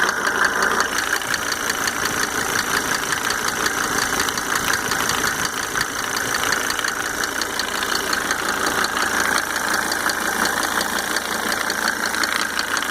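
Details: Mercedes 300D W124 2.5 L diesel idling after installing five newly rebuilt injectors with Monark nozzles: steady light ticking a bit under three per second over the clatter; source unclear.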